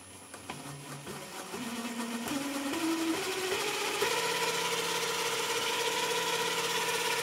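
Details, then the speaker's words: JET BD-11 CNC lathe conversion, 1.5 kW servo driving spindle via HTD 8M 40 mm toothed belt on temporary 3D-printed plastic pulleys, stepped up to 1000 rpm: loud steady belt hum drowning speech; tension changes don't help, cause unconfirmed. "Вот уже начинает гудеть ремень. То есть уже получается обычную речь спокойную, вот если рядом стоят два человека, уже плохо будет слышно. Приходится голос повышать."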